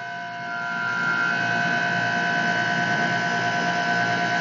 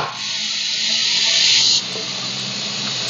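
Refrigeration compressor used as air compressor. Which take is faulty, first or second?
second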